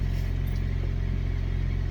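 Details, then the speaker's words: Older car that sat a while, fuel pump suspected of not holding pressure and sometimes making weird noises when cranking: low, even rumble with a steady beat and no pump buzzing or whirring; runs normally this time. "but it didn't make the weird noise this time it fired it did what it was supposed to do"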